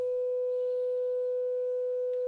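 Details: Graetz Comedia 616 tube radio after capacitor replacement, first power-up: 500 Hz signal-generator tone injected through 1 µF capacitor into power amp tube plays from speaker clean, steady, no hum, buzz or distortion; power stage working.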